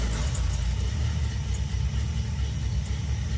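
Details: 1985 GM C10 pickup V8 idling after plugging an open vacuum port on the new carburetor that caused a huge sucking noise; deep, smooth, steady rumble with no sucking or hissing, idling evenly.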